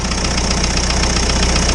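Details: Isuzu 4BD2T diesel in Spryte snowcat, first start after head replacement for exhaust-to-coolant leak: fast light ticking clatter over steady idle rumble; one valve out of adjustment, new head may need break-in; valve lash noise.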